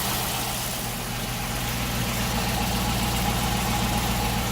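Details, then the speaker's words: 2004 Holden Commodore VZ SS LS1 V8 idling steady with a faint, even light tick about 220 a minute, heard from underneath; owner suspects lifters, which LS engines are prone to; ticking at idle. "I was thinking because these motors these LS wands are prone for lift annoys and I think morons got a slight"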